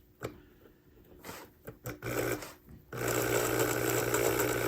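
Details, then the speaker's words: Old model train loco motor after repair restoring power to brush with replacement spring, testing pickup to both wheel sets; after handling clicks a steady smooth low hum, normal running. "And hopefully it gets power to both sets of wheels this time. Right. That sounds much nicer already."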